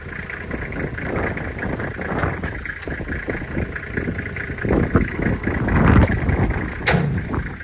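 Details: 1997 Toyota Land Cruiser HZJ75 diesel, cold start at about 20 degrees in wind after glow plugs: initial smoke clears to almost none; steady deep clatter at even idle, no misses or knocks; blow-by test looks good; normal cold idle.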